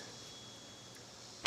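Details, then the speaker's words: Known-good starter relay from 2001–03 Ford Escape/Mazda Tribute, bench-tested by powering pins 85 and 86 from a battery: one sharp crisp click as the coil energizes; normal relay operation. "and you'll hear this thing click. Hopefully you can hear it. Let me put it closer to the camera, if I can. Anyway, that's what a good relay should sound like."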